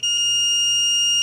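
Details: Riding lawn mower key switch tested with a multimeter, one lead on the G (ground) plug and the other on the switch base. A steady, unbroken high-pitched meter tone shows continuity, so the switch base has a good path to ground.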